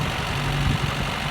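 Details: Renault just given a battery, with reportedly a little fuel and a dirty, possibly worn spark plug: uneven, slightly lumpy idle with irregular low thumps under a hissy background; misfire-type roughness, cause not confirmed.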